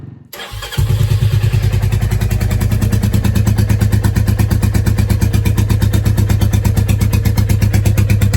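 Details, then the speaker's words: Royal Enfield Classic 350 WarHorse single, stone-cold start: it catches quickly, then settles into a strong, regular low-thump idle with no misses. This follows earlier cold-idle trouble; the owner adjusted the throttle to raise revs. Normal cold start and idle. "So, I'll just fill up here and let it idle. Let you hear it. It started tonight stone cold fine."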